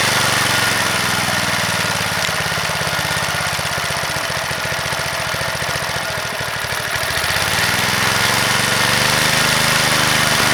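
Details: Vintage (likely 1970s) McLane reel mower or edger with a Briggs & Stratton single, revived after sitting about 14–15 years, settles into a quick even putter with no stumbles; running properly, though it needs a new blade.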